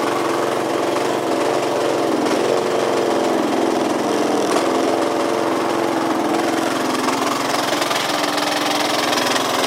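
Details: Yamaha Cygnus 125X FI (150) scooter that won't move, no drive to the wheel, belt possibly broken, FI lamp blinking at key-on: steady, fast, slightly uneven engine clatter with no clear knock pattern, cause unidentified.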